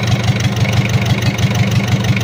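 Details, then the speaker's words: Mitsubishi L300 diesel, post-2010, after engine overhaul with a 12 mm rotor head: heavy idle thumping about six beats a second with an uneven limping pulse; a leak found is causing the rough running; oil pressure 4 bar at idle. "Oke Lur sudah hidup untuk mesinnya Tapi ada kendala pincang kalau untuk oli aman udah naik tekanan oli idle ada di 4 bar Seteng di sini ada"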